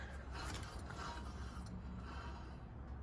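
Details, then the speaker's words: Car jacked up in neutral with the wheel spun by hand: soft rubbing hiss and a faint brief high squeak, normal light brake drag on a car that has been sitting a while, not a wheel bearing. "You can slightly hear the brake drag on this, that high-pitched sound that goes for just a second."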